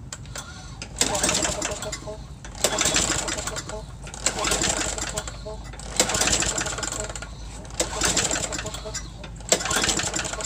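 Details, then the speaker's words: Cold start of lawn equipment used last week: uneven small engine surging in bursts about every two seconds with a light rattling knock; owner says it always sounds like that, has plenty of power, not the engine; cause unidentified. "this one sounds like it has a knot on it but it it just sounds like that and it's got plenty of power so i know it's not the engine"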